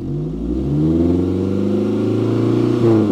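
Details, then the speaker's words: Peugeot 405 1.9L GRX4 carburettor engine after mixture adjustment with a Gunson Colortune, choke off; gentle acceleration from idle picks up smoothly with no stumble or flat spot, carburation set right and running like clockwork. "mais voilà c'est bien réglée ni qu'elle écoutait tourne comme une horloge"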